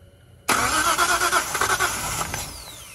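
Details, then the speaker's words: Datsun 240Z with freshly installed L28 engine, first start: catches with sharp irregular pops and crackles over ragged cranking, backfiring because plug wires on cylinders two and three were swapped. Backfire on starting from crossed spark plug wires. "okay so we figured it out i put wired on wrong on number one two and three two and three yeah"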